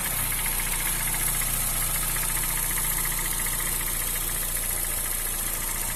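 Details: Honda Fit 2007/2008 1.5 VTEC CVT: light fast tec-tec ticking over smooth idle; no oil or coolant loss, valves adjusted twice without help, not AC compressor bearing; stops when hot, in gear or AC on; cause unknown.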